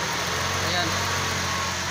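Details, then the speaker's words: Vehicle that previously wouldn't start, after repair (weak fuel pump pressure fixed by modifying pressure regulator), now charging and aircon cold: smooth even idle, steady hum, no stumbles, surges or dying out; normal idle. "Tapos makina dati ayaw umandar so ngayon umandar na. Ayan umandar na."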